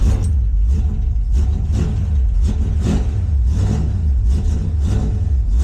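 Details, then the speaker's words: 1971 Plymouth Satellite V8 drag car, started after sitting a couple days, fitted with dual-point Autolite distributor: fires right up into a loud, lumpy idle with regular loping exhaust pulse about twice a second; runs steady and healthy. "Fires right up and it idles. And what do you think of that sound? Pretty nice, ain't it?"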